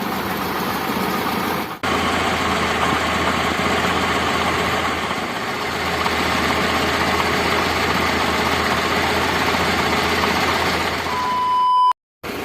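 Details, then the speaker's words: Daihatsu Zebra Espass, warmed-up engine idling in neutral, aftermarket (KW) electric fuel pump nearly 2 years old, wired to coil resistor without relay, feeding the carburettor: steady idle with constant loud whirring pump hum; pump still working normally. "nah ini semakin kencang suaranya teman-teman jadi ini ya kabel otaknya yang ada di sini ini masih berfungsi dengan normal walaupun ini KW dan hampir 2 tahun"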